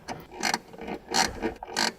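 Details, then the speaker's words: 1955 Mercedes-Benz 300 SL Gullwing, being recommissioned: its original clockwork clock is hand wound until fully wound, giving crisp ratcheting clicks in short even bursts about every half second; normal clockwork. "well one another of the lovely lovely features of this car is its original clockwork clock and this has to be hand wound so that's what i'm doing now"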